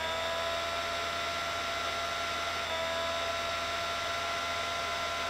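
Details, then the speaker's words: Projector cooling fan after repair, running smoothly with a quiet, steady whirring hum and no rattle or scrape; the fan had likely been squashed and was rubbing against the case. "it's working right there you go a very very simple fix and um i was able to tell them i think it was probably just a one-off problem due to it being the fan"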